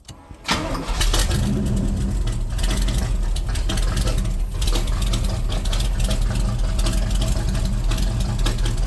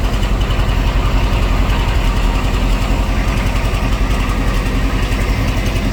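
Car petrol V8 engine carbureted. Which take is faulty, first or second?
first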